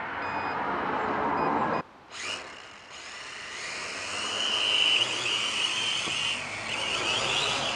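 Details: K70C Sky Warrior quadcopter after replacing two propellers and oiling: high buzzing whine rising and dipping with throttle, no rattle or scraping; flies oddly, owner suspects calibration, later found a bad motor.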